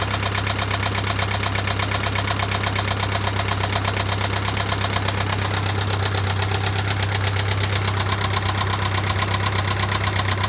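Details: 1996 Pontiac Sunfire 2.4L petrol engine idling with a fast, even ticking over the hum; head and valves already restored and lifters replaced, and the cause is still unknown.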